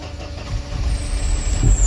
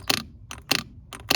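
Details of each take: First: 1993 Mercedes 190 with the coolant temp gauge still pegged after a new temp sensor: a long uneven cranking rumble with the foot on the gas pedal before it catches and runs rough. Extended crank. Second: 1993 Mercedes 190 idle air control valve, removed from the engine: three short buzzing clicks about 0.6 s apart as it steps and moves as it should.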